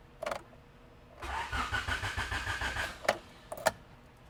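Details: B17-swapped EF hatch after squirts of starting fluid: the starter spins the engine in steady even pulses, about five a second, for nearly two seconds, and it never fires. They suspect no fuel; this is not confirmed.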